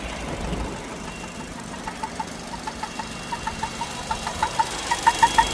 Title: Weird noise on Vauxhall meriva 1.4 only when it's warmed up. #vauxhallmeriva